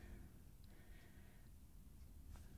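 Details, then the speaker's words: Suzuki GSF 650 Bandit front wheel after replacing rumbling wheel bearings: hand-spun wheel turns almost silently, no rumble or grinding, smooth new bearings. "and then a completely silent well let's listen very carefully nice smooth bearings"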